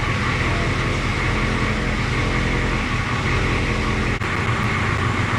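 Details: International S1654 diesel truck idles with a steady low, regular chug and no knocks or squeals. This follows an oil cooler rebuild, new starter and new radiator, with the radiator cap left loose to bleed air.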